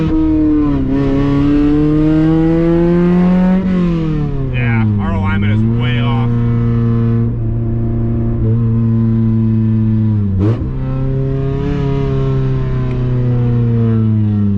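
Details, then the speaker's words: Honda Accord CD7 H22 swap, exhaust not yet fitted: revs climb and fall smoothly with a clean, even note and no stumble or miss; running healthy. "Oh, she sounds so much better, dude. I'm surprised it even held an idle like that before, dude."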